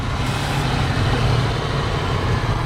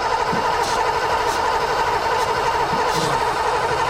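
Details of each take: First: 1986 Ford Mustang GT 5.0 V8 five-speed, sat 20 years, first start after distributor PIP sensor fault was found and fixed: smooth, even low idle rumble with a steady beat, no ticking or misses; runs quietly and healthy. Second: 1986 Ford Mustang GT 5.0 five-speed that sat 20 years: starter churns steadily at about ninety slow compression beats a minute with no catch after starting fluid sprayed into the intake; cranks but won't start, ignition coil suspected, not confirmed.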